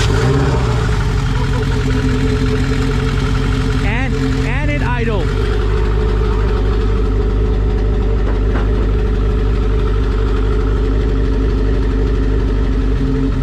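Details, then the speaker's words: Turbo Honda Civic EG hatchback, first start after fabrication, with the idle air control valve unplugged and a check engine light for code 21 VTEC: a brief flutter, then a steady, even low idle with no knocks or misses. Sounds good. "hey it's alive and and it sounds good"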